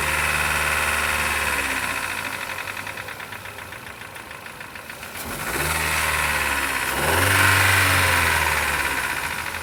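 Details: 2014 Chevrolet Cobalt, one owner, 70,000 genuine mileage; a deep, regular knock about four times a second grows louder and quicker with revs. Teardown found rod bearing play, worst on cylinder four, with burnt black deposits. Rod knock.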